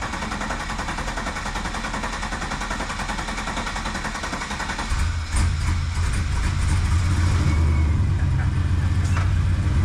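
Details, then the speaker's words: 2002 Trans Am sitting 16 years, first start at about 14° outside after fluids replaced, coolant flushed and cranking with the fuel pump relay pulled until oil pressure showed: rough churning, then it settles into a steady, even, deep V8 idle. Normal first start. "got oil pressure all right for the first time in a very very very long time it's alive it's alive it's alive"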